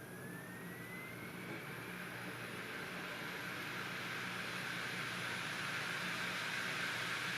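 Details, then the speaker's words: Opened-up optical drive deleting files from a 3x-speed DVD-RAM disc: steady whirring hiss with a faint rising whine. The disc spins up far too fast for this 3x-rated media. "remember how I said this disk for this drive is dumb remember it's spinning much too fast to write a disk after only three X speed windows"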